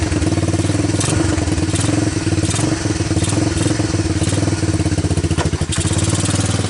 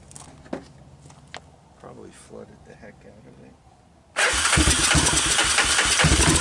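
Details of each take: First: Honda TRX250 ATV single-cylinder after diesel-contaminated fuel was dumped and fuel fed from a bottle, choke on: steady idle thump with only slight unevenness, keeps running on its own; normal idle. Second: Honda TRX250 ATV with apparently new (clone CV) carburetor, first start on starting fluid with diesel-contaminated fuel: catches abruptly and runs loud and ragged, "doesn't sound great"; rough running from diesel-contaminated fuel.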